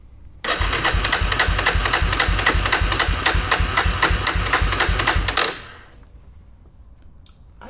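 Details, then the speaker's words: 2000 Yamaha Warrior 350 ATV with new ignition modules; starter cranks the single about four strokes a second for five seconds, never fires, no spark from an unhooked safety switch. "i don't think we have spark anymore man well let's let's uh let's check something's just it's not doing anything"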